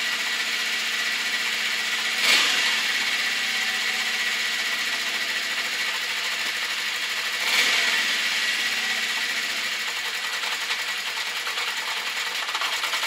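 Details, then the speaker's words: Honda CB650 Custom at idle after warm-up, following a very cold start: fast uneven light ticking with slight backfiring; owner suspects the clutch or cam chain area and valves on cylinders 3 and 4, not confirmed. "Second, the ticking noise, I think, is coming from the clutch or from the cam chain area somewhere, and also on cylinder number 4, which is on the other side of the bike. I think I can hear the valves ticking."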